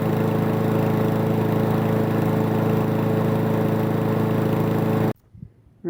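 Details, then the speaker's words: Toro Recycler mower that had been stalling after about 15 minutes, test run after reassembly and carb work with fresh gas, air filter off: steady, even, smooth drone with no surging or sputtering until shut off; healthy. "I just want to see if this thing will run I'm gonna put some fresh gas in it and we're gonna give it a test run"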